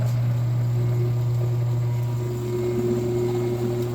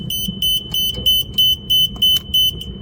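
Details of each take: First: Machine motor on a 24V control circuit that had shorted, after the faulty drive was replaced with a new one: a steady low electric hum with a faint higher tone and no crackle or stutter. Normal motor running. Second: Machine controller with a shorted 24V control circuit, tested by unplugging wires one at a time: steady high-pitched beeps, about three a second, meaning the controller is rebooting.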